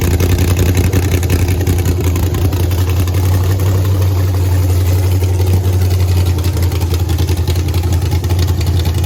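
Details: Texas Speed blower (supercharged) engine in the race Blazer, first fired the day before Race Week: loud, steady, lumpy idle held well above normal speed. High idle; owner suspects too much air, likely always high on pump gas.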